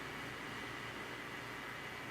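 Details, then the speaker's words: 1963 Mayfair TR-65 four-transistor reel-to-reel tape recorder after repair, cleaning and erased tape, volume fully up: only a faint, even hiss with no hum, crackle or pops; normal amplifier hiss. "and so it's pretty quiet now and just barely hear the amplifier with the volume turned all the way up"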